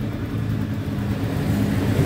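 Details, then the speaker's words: Yamaha Mio GT scooter with good compression, spark and fuel that starts then dies; low, uneven burble before stalling, suspected poor ignition switch contact, with burning smell and smoke found from chafed ignition switch wiring. "nih cuma ini mati lagi Tuh mati lagi"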